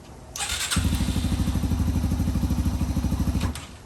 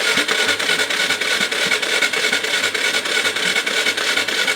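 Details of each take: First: 2005 Yamaha TTR230 single after fuel-air mixture screw adjustment, muffler fitted: steady, low, even thumping with no tick on top; runs well, though the clutch is not working. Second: 2005 Yamaha TTR230 dirt bike, once fully submerged and abandoned, cranking: steady fast chuffs about three per second with wet hissing spray each stroke as water blows through the exhaust header and valve; cranking with water in cylinder and exhaust.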